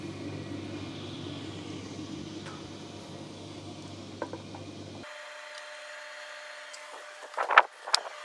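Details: Electrolux/Simpson/Westinghouse clothes dryer after blower fan replacement with the belt refitted: an even, steady tumbling hum for about five seconds, then the motor stops with a few light clunks; runs smoothly.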